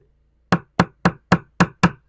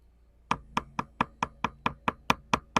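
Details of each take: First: 1969 Iroquois Mk2 boat deck tapped with screwdriver handle, original balsa core: six crisp even taps with firm dull thud, no hollow ring; core solid, unlike delaminated soft spot. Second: 1969 Iroquois Mk2 catamaran fiberglass deck: quick sharp taps about two a second with a dull, hollow ring instead of a solid click; air between laminate and outer skin shows a delaminated core.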